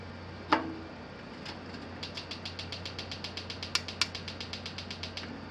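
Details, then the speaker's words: Battery-powered igniter on a gas grill fed by house gas piping, checked during a home inspection: crisp, regular sparking ticks about seven a second, steady and unbroken; igniter working normally. "i can hear they matter going huh light switch oh the light switch comes on okay maybe it's with a battery off igniter"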